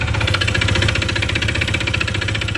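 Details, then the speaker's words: Honda PCX 160 MC taxi, 82,904 km odometer, side cover removed, very noisy engine that suddenly got loud while riding: loud, fast metallic clatter over idle from worn internal parts, worn out rather than oil-starved. "maingay siya. Sobrang ingay. Kailangan muna natin mabuksan yung makina para makita natin kung ano nga ba yung mga palitin sa kanya."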